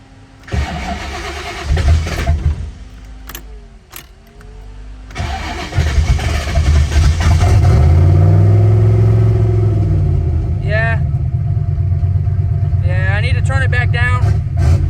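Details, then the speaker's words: Car with new dual fan relays, fans running: cranks briefly and stalls, catches on the second try and revs unevenly before settling; owner suspects the startup fuel he turned up is too much and needs turning back down. "come on girl i don't know what that was all about i did adjust my idle or my startup fuel a little bit maybe i need to turn it back down"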